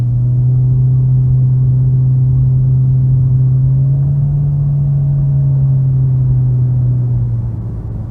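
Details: 2016 Jeep Patriot 2.0L automatic, heard from the cabin while driving. A deep, steady buzzing drone swells with acceleration and engine load, and stops when revved in neutral: load-dependent drone.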